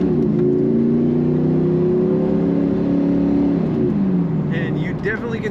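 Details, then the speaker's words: 1994 Pontiac Firebird Trans Am 25th Anniversary, supercharged, automatic, driving under acceleration, oil pressure 45, temp 180, heard from inside the car: engine pulls hard with clean whistle climbing with revs; normal supercharger whistle. "I don't know if you can hear that, but there's a nice little whistle coming from outside the car cuz she's supercharged."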